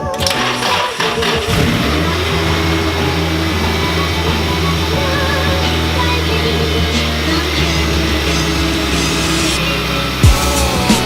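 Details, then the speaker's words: Nissan 240 with SR20 engine, previously losing power with choppy idle and rich AFRs, after reconnecting a coupler: steady even idle without hunting or stumble, AFRs and fuel pressure near normal; fixed. "AFRs are reading normal, well, somewhat normal. Idle is there. Fuel pressure. Guys, we got it. We got it. It's fixed now."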